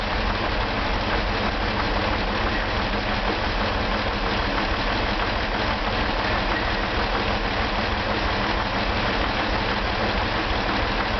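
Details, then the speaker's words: Turbocharged Corvair flat-six from a 1965 Corsa, bench run before reinstallation on initial settings, jump-started with a starter issue: steady idle with a slightly uneven, loose beat and no knock; runs but needs tuning. "this is still on all the initial settings uh it requires a little bit of tweaking and I'm having a little starter issue so hopefully it'll crank up"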